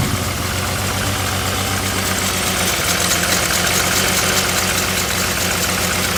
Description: This engine has a bad misfire on one cylinder.